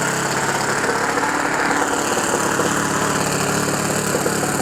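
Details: OS FS 91 Surpass 15 cc methanol four-stroke on what is probably a Graupner 14x7 prop, breaking in a new ring after a crash rebuild; buzzing hard and steady at high speed, a little rough and shaky from the deliberately very rich mixture, which is normal.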